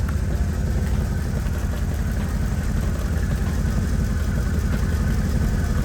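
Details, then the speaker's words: 2007 Mercedes GL450 with random misfire and low power, driver's side exhaust cooler than passenger side: steady low idle, smoother than before but still stumbling now and then; owner wonders about a clogged catalytic converter. "I mean, this is still a better idle than it was, for real. I ain't gonna lie. It's kind of smoothed out, honestly."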